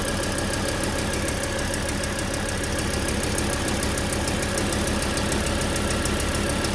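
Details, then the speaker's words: Volvo C30, towed in with loss of power and an unstable idle: shaky uneven idle with irregular ticking and stumbles, engine visibly trembling; multiple misfire codes stored. "dale marcha a parte de la inestabilidad en la tembladera del motor se alcanzan a percibir sonidos extraños"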